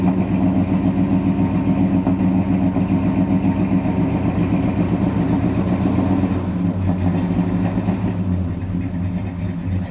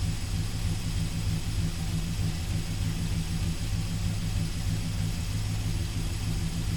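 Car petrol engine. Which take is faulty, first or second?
first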